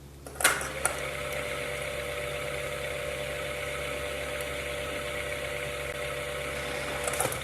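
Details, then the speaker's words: Ceiling fan after a dry-bearing repair, with the lower bearing suspected, running smoothly with a steady low hum. There is no longer any rubbing, grinding or jingling, so the repair was successful. "तो जैसा कि आप सुन ही सकते हैं कि अब इसमें से किसी भी तरह की आवाज नहीं आ रही है। ना ही छनछन की आवाज आ रही है ना ही किसी तरह की रगड़ने की आवा आ रही है।"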